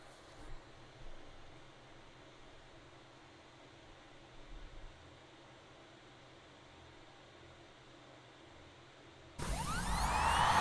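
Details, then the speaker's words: Previously dead hard drive with stuck read/write heads, after opening it, moving the heads off the platters and refitting the cover: near-silence, then a smooth rising whine settling into a steady hum; normal spin-up, files recovered. "so this is how a normal hard drive should sound and as you can see I was able to retrieve my files from this how to drive"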